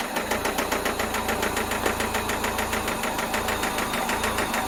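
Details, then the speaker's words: Toyota MR2 with a 5S-FE four-cylinder: a loud, hard metallic knock, a few beats a second, that follows the rpm. Severe rod knock from a failed rod bearing; the engine is being pulled for replacement. "if any of you have ever heard of rodnock or want to know what rodnock sounds like this is exactly what it sounds like uh follows the rpm it's loud it's i mean that rod is gone"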